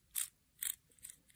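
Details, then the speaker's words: RC helicopter tail rotor gearbox with one extra 0.1 mm shim, turned by hand: dry, slightly uneven notchy clicks with no free play. Mesh is too tight; fix is to remove that shim. Tight gear mesh. "So I don't think there can be so this is with one additional 0.1 0.1 shim added. It's a little bit notchy. You can hear it."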